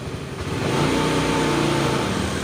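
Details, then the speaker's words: Honda Beat FI scooter idling: idle swells and sags by itself with no throttle input, hunting rhythm; also stumbles at low speed especially in rain and cold but fine fast; caused by a faulty O2 sensor. "Putaran idle tidak akan stabil. Harganya naik turun terus-menerus. Seperti ini. Lihat, tuas gas turun dengan sendirinya."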